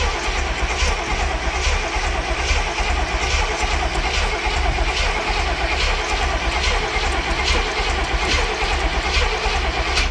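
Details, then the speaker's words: Barn-find Cadillac 7-liter V8, cold, first start attempt after 30+ years: steady uneven cranking about seventy per minute with no firing and a bad smell; crank no start, suspected no spark. "smells horrible. I don't think we're getting any spark."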